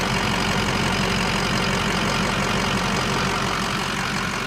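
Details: 2005 Ford F250 4x4 diesel, 64,505 miles, new oil cooler, EGR cooler, oil and coolant, idling, heard under the hood: steady even idle with constant low clatter, no knocks or misses; engine healthy.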